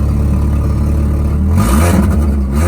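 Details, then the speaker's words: Five-speed manual car at 173,755, no check engine light: four-cylinder idles with a raspy puffing exhaust note that swells with revs, from an exhaust leak at the flex pipe, not yet repaired. "it's right on the flex flex pipe up by the end so it's really hard to get to and I haven't really messed with it yet"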